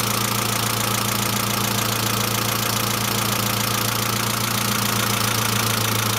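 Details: Saab C900 after engine/head rebuild, idle: quick, even ticking about three and a half per second locked to engine speed, lifter tick; no oil leaks, pressure lamp off; owner suspects oil pressure relief valve, return line leak apparently ruled out.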